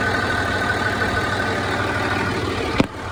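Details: Land Rover Discovery 3 (LR3) TDV6 diesel on a cold start at idle: an uneven, fairly quick ticking and clacking over the engine note, louder than a normal cold start. Cause not identified.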